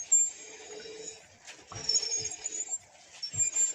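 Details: Rear drum brake with the wheel removed, in neutral, drum turning: a thin, very high-pitched whistle comes and goes as it rotates, from dry rear drum brake parts.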